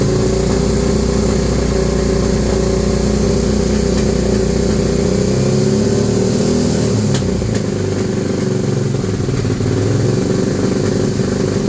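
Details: 2001 Suzuki SV650 V-twin that has just started misfiring and backfiring, and wouldn't start unless the air intake was covered: lumpy, uneven idle with occasional sharp pops.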